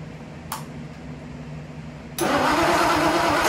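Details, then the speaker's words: Ford Y-block V8, garage rebuild with a rehone, first start after fixing plug wiring and TDC errors; short crank, fires at once and settles into a steady even idle, no misses or knocks. "really happy it actually sounds really good for a you know a garage build"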